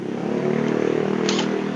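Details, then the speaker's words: Yamaha Mio J scooter after repairing the rough, con-rod-like knock: steady small single-cylinder running with an even pulse and no clatter; smooth, healthy engine. "Bro suaranya udah keren udah kayak suara motor kalau tadi suaranya kayak mesin.rx"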